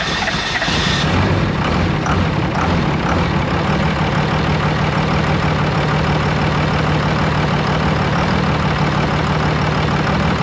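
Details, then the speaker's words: Second-gen 24-valve Cummins diesel after swapping to a modified HX40 turbo and new injectors (believed to be 7x.009") and bleeding the injectors; brief crank, catches in about a second and settles into a steady, even clattery idle: normal start and idle. "So anyways, with the turbo and the injectors, it runs really good."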